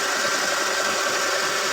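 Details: 2006 Ford F-150 V8 idling after a new alternator was fitted and tested. Steady, even idle with a faint thin whine on top from the alternator charging the battery: normal, healthy idle.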